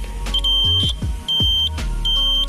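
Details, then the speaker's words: 2002 Yamaha F1ZR two-stroke motorcycle, high mileage: loud high beep repeating about every 0.8 seconds in time with the flasher clicks; turn-signal buzzer works normally. "Sen oke lah, pasti bunyi kalau sen. Suaranya nyaring banget. Kalau di jalan itu jadi pusat perhatian ya."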